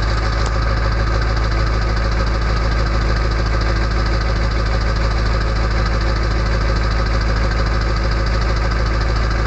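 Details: Early 1999 Ford F-250 diesel cold-started at 34°F, idling: regular clatter of about three beats a second over a steady drone, a normal cold idle.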